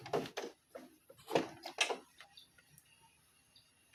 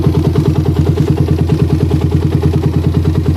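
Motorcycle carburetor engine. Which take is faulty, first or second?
second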